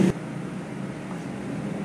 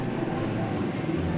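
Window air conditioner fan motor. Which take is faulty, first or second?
first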